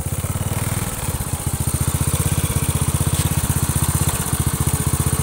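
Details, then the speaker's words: Honda Astrea Grand single-cylinder after repair of leaking compression that caused rough head noise when hot: fully warmed engine revved through gears two to four runs steady and even, about four beats a second, no head tapping. "ini sudah halus ya untuk bagian kopnya Ketika saya geber-geber kaki gigi dua tiga empat dua tiga empat tiga empat tiga empat intinya Apakah mengalami kelainan tetap halus untuk bagian headnya"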